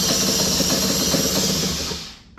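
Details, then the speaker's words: Scooter cold start with choke deliberately off, throttle applied: starter whirs about two seconds, engine wants to start but never catches; cold start failure from choke not engaged, opening choke makes it start easily. "I want to show you what a bike with a choke that's not functioning properly uh sounds like when you try to start it"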